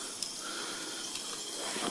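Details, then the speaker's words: Kingscale Gauge 3 gas-fired 14xx live steam locomotive in reverse, with the regulator barely open while pushed along: a soft continuous hiss with faint spits as condensate is ejected from the cylinders through the chimney. "to clear the cylinders you can hear the water gurgling and squirting up through the chimney then they're ejecting the water from the cylinders from the chimney"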